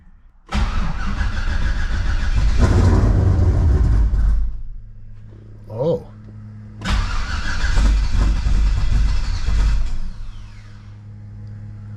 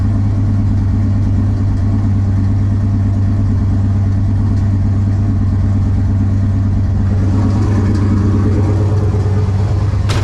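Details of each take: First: Cold start of a Ventura with On3 turbo LSX, after replacing intake gaskets to fix a vacuum leak and lean pop at idle: fires first try with loud cold-start blip, settles into smooth deep idle, no popping; normal idle. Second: Ventura with On3 turbo LS V8, first start after winter storage: lumpy idle with a random, not every-rotation stumble; idle misfire, owner suspects cheap JDM spark plug wires.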